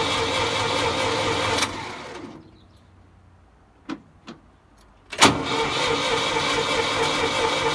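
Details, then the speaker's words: Old Ford forklift with updraft carburetor just repaired for leaking: engine cuts out, then cranks at an even quick churn, about three turns a second, never firing, because the fuel was left turned off. "oh i know what's wrong you gotta turn on the fuel duh there maybe now it'll run"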